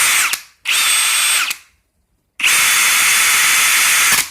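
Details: Brand-new Ridgid Octane hammer drill, a replacement for a first unit returned for clutch noise, in speed mode one, driver mode: high-pitched gear whine with a gritty grinding edge in each burst, stopping on release; grinding noise under load.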